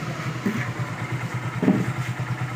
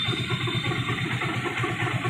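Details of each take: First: Hero Glamour single-cylinder bike after repair of an engine noise caused by a bad clutch-side bearing. It now idles with a quick, even putter and no knock or rattle; the earlier noise is completely gone. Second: Hero Glamour bike, after another mechanic's full engine rebuild, idling as the clutch is let out: steady single-cylinder idle with rough rattly knocking; mechanic suspects a bearing problem inside the clutch side.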